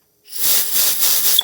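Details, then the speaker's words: 1999 Yamaha XT350 carb choke circuit fuel pickup passage, previously clogged and causing hard cold starts, blown out during cleaning: steady high hiss of compressed air for about a second now passing freely through. "now what i noticed when i started cleaning is that running compressed air through here wouldn't actually go through but now"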